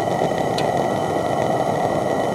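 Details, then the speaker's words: Coleman propane lantern burner: loud, steady, even hiss with no sputter or flutter, running normally and louder than the gas lantern. "it does have a hiss but not nearly as loud as the propane ones"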